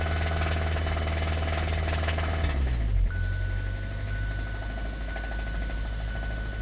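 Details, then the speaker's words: 2017 Kia Sorento 4-cylinder (possibly turbo), towed in, with a very weak battery. Rough idle with a dull, steady knock about four per second under the engine note; rod knock at idle, so the engine needs replacing. "You keep a knocking, but you can't come in. So that is definitely an issue. So looks like this thing's going to need a motor."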